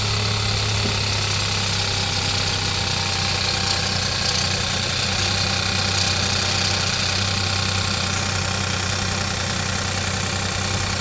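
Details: Hyundai/Kia 1.0 TGDi petrol engine idling with a light, fast metallic clinking rattle, mistaken for the timing chain; it comes from the loose turbo wastegate linkage, fixed by adding a small spring to it.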